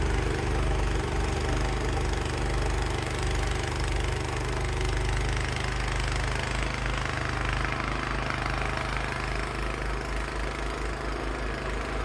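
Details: Cub Cadet 524 snowblower after repair for rough running, throwing snow in freezing weather. A steady, even low thrum from the small engine with snow hissing through the chute, no misses or surging; it runs healthy.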